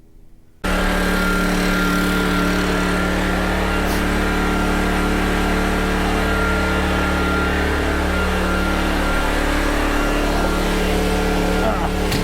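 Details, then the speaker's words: PowerTrain 900 W generator after new fuel lines and carb work, pull-started without choke (choke was reversed); catches at once and settles into a steady even drone with no misses or knocks; water came out the muffler; fuel shutoff still awaited: normal running. "so okay well it starts so that's good"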